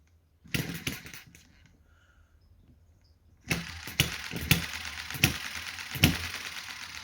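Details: Chinese hit-and-miss model engine just started after months unused, with thicker oil and governor held out: sharp firing pops come unevenly with long gaps; soon runs steadier.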